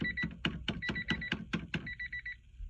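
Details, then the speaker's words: 1994 Honda Civic hatchback, hard starting; key-in-ignition buzzer after replacing the ignition lock cylinder, battery reconnected: steady even series of short electronic beeps with a few clicks, still beeping when key wiggled; buzzer working. "you can hear the beep, so that's a good sign. Wiggling it and you still hear the beep, so that's a good sign."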